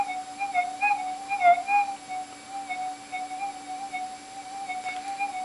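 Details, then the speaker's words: GPX4000 metal detector with ground balance modification, on Sensitive Extra: steady threshold tone with faint wavering hum after hot rocks are tracked out, leaving slight background electrical interference. "okay it's basically track that out it's got a bit of background noise there now"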